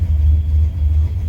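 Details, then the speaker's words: Junkyard Fox-body Mustang with cam, turbo build, 3-inch exhaust, warm at 200°F with fans on, good oil pressure: loud lumpy steady idle around 800 rpm, no knocks or ticks; surges when fans kick on pending 3G alternator upgrade. "idling right around 800. Everything seems to be doing all right."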